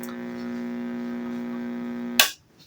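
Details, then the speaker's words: Vintage Zenith AM tube radio: steady low fixed-pitch hum, no station, louder with more voltage, ending in a click; tubes conduct, filter capacitors suspected bad. "So, the only thing it's doing is humming. And the more voltage, the louder the hum."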